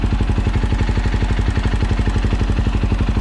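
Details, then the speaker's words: KTM 530 EXC-R single, after installing a Dirt Tricks manual cam chain tensioner: a steady, even thump at idle with no ticking or clatter; the cam chain slap is gone. "almost silent hardly doing any kind of vibrating no clicking clacking the tensioner's doing what it's supposed to do"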